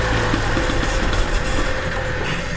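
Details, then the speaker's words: Mercedes E-Class W211 that cranks but won't start, with a little gasoline poured into the intake: it catches and runs a rough, wavering idle briefly, then dies once that fuel is used up, suggesting the engine isn't getting fuel. "it died because it ran out of gas."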